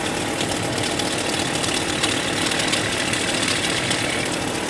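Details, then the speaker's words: 1998 Chevrolet Cheyenne K2500 (GMT400) with flickering battery light, heard through a stethoscope on the alternator: constant gritty whir with a rough, hissy top end over idle; worn alternator bearing, replaced. "If we come under the hood, there's definitely a noise coming from what sounds like the alternator."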